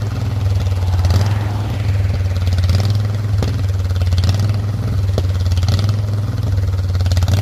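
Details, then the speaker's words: Custom off-road lawn tractor mowing neglected grass, blade unsharpened, still without a proper carburetor: engine drone lumps and sags under mowing load instead of pulling smoothly; rough running blamed on the missing carburetor. "be disappointed that it still runs like crap cuz I didn't get a carburetor yet"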